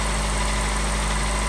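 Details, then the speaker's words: Car idling after starting on a newly installed battery: smooth, even low rumble, no misses, knocks or squeals; normal idle. "So friends, looks like it is fine. The car started nicely and you can heard the sound."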